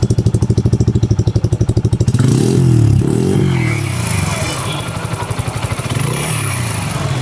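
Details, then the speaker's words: Bajaj Freedom 125 CNG motorcycle exhaust note at idle on CNG: even single-cylinder thump with a light, regular tick in the exhaust beat, slightly different from petrol mode; normal idle. "So இப்போ வந்து CNG ஒரு மைல்டாக tick tick டிக்னு ஒரு sound ஒன்று கேட்குது."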